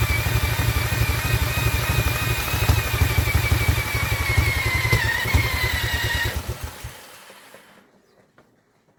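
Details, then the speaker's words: Vintage Douglas engine, 40 years under a hedge, cranked by electric drill after carb jet cleaning: rhythmic chuffing about three beats a second catching briefly then fading; fires but won't keep running, flooding suspected. "is definitely definitely trying to go for us isn't she he's definitely trying to go for us"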